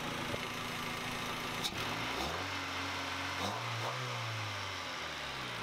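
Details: 1997/98 Honda Civic D16 after auto-to-manual swap, after an adjustment of about a half turn that owner says fixed it, oil low: quiet idle dips and recovers briefly, then holds a steady, even beat; idle settled and healthy.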